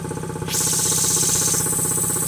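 Steady, even pumping thump with a clean air hiss coming in early; the compressor runs smoothly and sounds healthy.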